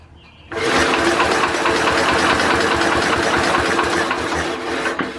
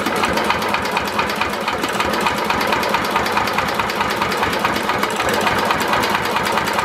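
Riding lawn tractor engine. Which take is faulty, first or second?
first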